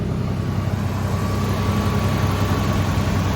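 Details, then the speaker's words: 1986 Nissan 300ZX, 10 minutes after starting and warm with temperature mid-gauge, after new ignition parts: steady, even low idle hum with no knocks, misses or surging. Runs smoothly with little exhaust smoke. "No issues really. It's still running fine. Seems to be continuing to run nice and smooth."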